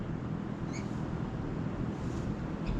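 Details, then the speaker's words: Three Daikin Cora split AC outdoor units mounted in a brick wall, all running at full load, heard from outside: soft even fan whoosh and low steady hum, no rattle or vibration; healthy. "from the outside there's only the fan basically there they're all three running full"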